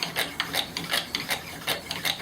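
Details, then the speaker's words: Purpleheart pump-style friction fire drill after breaking through glaze: dry, even, gritty rasping strokes about three a second with no squeal, producing smoke and a coal; normal friction drilling. "not just starting to fill getting some smoke i have to be careful about too much abrasion friction i really want temperature friction to get that coal"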